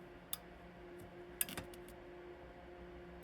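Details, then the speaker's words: 2.5-gallon electric water heater thermostat after cleaning contactor: three sharp clicks over faint hum as the very sensitive thermostat contact switches off cleanly. "It is so sensitive here that you have to get it. You hear it click?"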